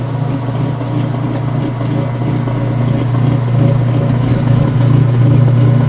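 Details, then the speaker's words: Washer neutral drain after a towel wash, sump bucket purging: steady low hum with water churning through, even and unchanging; normal drain pump operation. "There's your neutral drain sound. Yes, indeed. So that caused the sump bucket to purge yet again."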